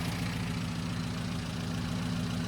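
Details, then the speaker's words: Mini 1275GT with newly fitted rebuilt fast-road HIF44 carb replacing a worn-out unit: smooth, even idle, steady low hum, no stumbles or hunting; running very efficiently and lean. "Not only is it idling really well, but it's running very very uh efficiently, very lean."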